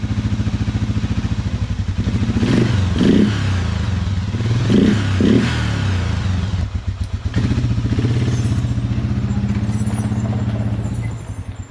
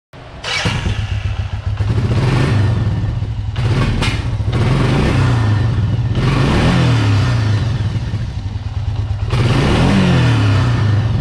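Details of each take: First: Suzuki Quadrunner 500 (LT-F500F, about 2000) single-cylinder: lumpy idle broken by sputtering pops, backfiring and not revving off idle. Cause was a faulty vacuum-actuated fuel petcock leaking vacuum. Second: Circa 2000 Suzuki LT-F500F Quadrunner 500 after fixing backfiring and no-rev by capping the faulty vacuum petcock's carburetor vacuum port: engine revs freely and cleanly up and down with no popping.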